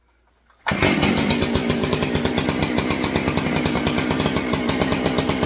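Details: Stihl 064 chainsaw, just reassembled with the proper exhaust bolt fitted: catches at once and settles into a crisp, even two-stroke buzz with regular pulses and no popping back. Runs properly.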